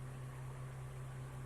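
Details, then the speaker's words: Car AC compressor running after the compressor relay was removed, checked and refitted, engine running with AC on; steady low hum near 100 Hz, no knocks or squeals, gauge reads 30 psi; normal AC compressor operation. "ở đây có vẻ Hi kim trên ống góp đang ở mức 30 psi điều này cho thấy máy nén đang hoạt động bình thường"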